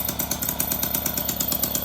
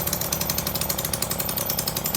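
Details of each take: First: Motobecane two-stroke moped with its carburetor's idle screw turned down about as slow as it will go, rear wheel not engaged. Slow, even putter at about eight pops a second, steady and unbroken: healthy, stable low idle. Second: Motobecane two-stroke moped idling too fast before the idle adjust screw is turned. Fast, crisp, even popping buzz with a hint of slowing: high idle.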